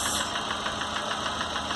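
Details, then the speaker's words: Chevrolet Corsa (Montana front) engine at idle, diagnosed with vacuum transducer and Hantek oscilloscope; light sharp ticking about six to seven per second from cylinder head top, thicker sound, apparently camshaft lobe knocking, strongest at cylinder 4. "é um barulho mais grosso né e aparentemente é comando né é o comando que está batendo ali ó tá vendo"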